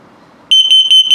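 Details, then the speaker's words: 2022 Puma 25BHFQ travel trailer LP gas/carbon monoxide detector on self-test: loud, evenly spaced high-pitched chirps, about five a second, the carbon monoxide alarm pattern. "I'll put it through the test so you can hear it LP gas is good carbon monoxide coming up"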